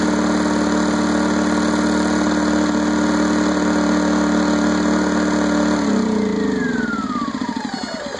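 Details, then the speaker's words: Champion generator that quit and wouldn't restart after refueling is repaired by cleaning water-caused sludge from the carburetor bowl and crud from the main jet. Afterwards it runs steady and even, then winds down smoothly at shutoff: normal running. "so that was the whole problem little water got in there a little bit of junk when I refueled it caused it not to run just take it apart clean it up put it back together and it's running again"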